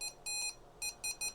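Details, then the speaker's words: Vertex Standard VX-3000 VHF radio at max volume before speaker replacement: short thin beeps near 2.5 kHz with almost no low end, a very weak high-pitched tinny sound; audio circuit is fine, the tiny internal speaker is faulty. "that's max volume it's just a very weak high-pitch tiny sound"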